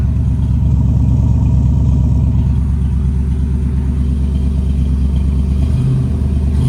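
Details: V8, warming up on fast idle around 1100 rpm (target about 800) after distributor timing was corrected: deep, steady rumble revving and settling smoothly, no misses or sputtering; healthy engine.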